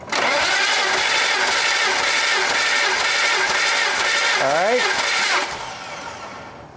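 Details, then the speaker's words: BMW E36 M3 with 227,000 miles, unrun for 4 years, cranking with all spark plugs out and fuel pump fuse pulled for a compression test. Steady even cranking about three beats a second for five seconds; first cylinders read about 190. "I removed the fuel pump fuse because I want to check compression while I have all the spark plugs out, and this will kind of give me a health assessment of the engine."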